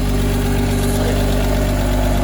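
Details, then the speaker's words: Six-cylinder engine after reassembly with spark plug wires reseated (one wire suspected loose, running on five cylinders before): smooth, steady low idle with even beat, a little smoke; now firing on all six. "oh that sounds infinitely better than it did this morning it's quiet running up a little smoke it's okay we're not gonna die but uh that is running on all six"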